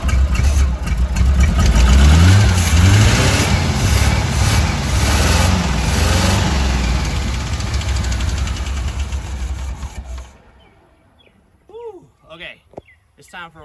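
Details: 1985 Chevy C10 305 V8 with new distributor, vacuum hoses missing temporarily: engine starts and runs about ten seconds with lumpy idle and surging revs, then shuts off; owner suspects fueling, carburetor or vacuum.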